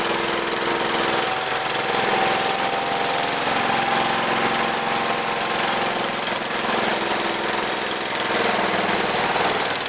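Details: John Deere 210 tractor with rebuilt carburetor, first run in over a year, jump-started on fresh gas: ragged, uneven note that sags and surges at fast idle; rough running, throttle out of adjustment after long storage.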